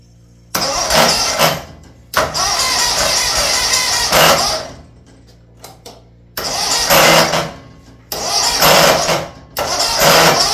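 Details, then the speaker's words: Massey Ferguson 1655 mower with Kawasaki FH680D engine, before compression test: stuttering bursts as it cranks and briefly catches, harsh hissy rush each time; won't run cleanly, owner suspects compression and air going where it shouldn't. "it I hope that was a good representation of what I was getting at cuz cuz obviously there's there's compression and air and things going in places it shouldn't be"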